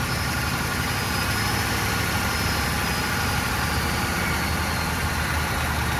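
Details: Old Ford turbo diesel, sat for years, started on glow plugs and a jump box with makeshift fuel lines: steady, dense clatter at idle with a faint turbo whistle, holding even. Normal diesel idle; a small unidentified sound was noted.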